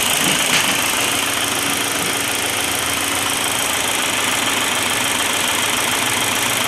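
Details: Volkswagen diesel at idle after the broken injection pump spring was replaced and pump refitted: steady even diesel clatter, no stumbling or knock; normal diesel idle.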